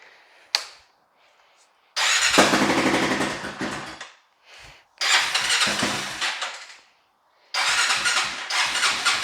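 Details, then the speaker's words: Honda 400EX ATV single, iffy battery, windy outside: repeated cranking bursts catch briefly then die, never settling into a steady idle; the carburetor needs cleaning. "Yeah, the carburetor needs to be cleaned"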